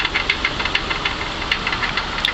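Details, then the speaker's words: 2003 Infiniti FX45, 208,000 miles, at idle after a 2-mile drive: sharp regular metallic knock about six or seven times a second; seller advises towing rather than driving it. "Yeah, see, there it goes. You can hear it slightly. But I did, you know, drive the car over here about 2 or so miles, and it runs. But I suggest you not to drive it back. Probably needs to be towed."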